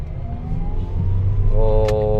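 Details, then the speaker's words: Mitsubishi Xpander test drive after repairing a broken support that caused clunk and vibration when pulling away: engine pulls with a clean rising hum, no clunk or knock, now smooth. "na okay okay na smooth na ulit okay na okay na sir ang sasakyan po ninyo"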